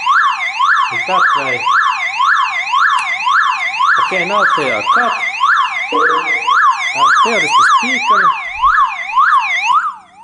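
A loud siren sweeps up and down about twice a second, steady and unbroken: the alarm tripped when the battery was disconnected.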